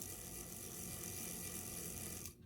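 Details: Life-Like Proto 1000/2000 model locomotive after replacing cracked axle gears, squaring bearings and light greasing: smooth even gear whirr for about two seconds; drive sounds healthy, fixed.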